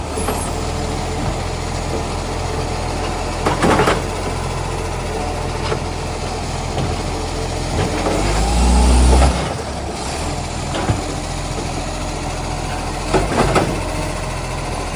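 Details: Ryde Green Waste SL757 diesel garbage truck, now a spare, on collection run: steady low drone with a raspy exhaust-leak edge and occasional loud slamming clanks; exhaust leak suspected, not confirmed.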